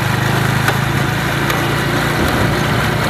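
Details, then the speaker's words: Honda Wave 110i motorcycle pulling away, engine running steadily with faint sharp clacks from the rear about every second; worn drive chain and sprocket, fixed by replacing the chain. "เสียงมันจะดังอยู่ด้านหลังของรถนะครับเวลาเราขี่ออกตัวไปนะครับHondaWave110iนะครับผมก็"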